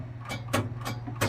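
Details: John Deere 160 lawn tractor, key turned with the clutch in, parking brake off and in neutral: sharp single clicks about every third of a second over a low hum, with no cranking. The starter solenoid clicks from a corroded switch.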